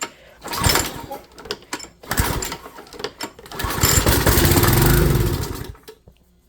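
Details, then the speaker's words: Small engine with carburetor, starting fluid sprayed into the carburetor: rattling pull-starts, then catches and runs rough a second or two before fading; starts only on fluid, so carburetor needs cleaning or replacing. "And just like that, the engine started. Might take a couple pulls, but that's all you need to know. So, that means our carburetor needs to be cleaned or replaced."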